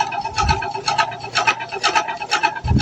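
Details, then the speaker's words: LG inverter washing machine, drum at top spin speed: rasping scrape in bursts about twice a second; motor and gearbox seem fine and no foreign object was seen, so something inside the drum is suspected. "Saya tak ada nampak benda-benda asing pun. So saya sha ada something wrong kat dalam drum ni."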